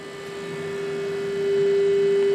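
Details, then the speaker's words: Crosley 307TA TV during sound alignment with a modulated test signal through the antenna terminals, after an audio output stage cap fix: steady test tone rising in level with a faint rough buzz that seems to go away. Buzz in audio output. "it's a little bit of Buzz curious the buzz seems to go away"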